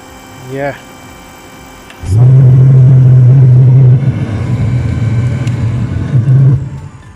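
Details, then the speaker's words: Eberspacher Hydronic 30 kW heater, second unit, on batteries with diagnostics; after a few chirps the burner catches with a sudden low steady roar; fuel nozzle judged to put out too much fuel, to be replaced; normal burner start. "okay now it's starting so before anything i will also change the the fuel nozzle because it's clearly clearly putting out too much fuel and this is not okay but at least it's starting"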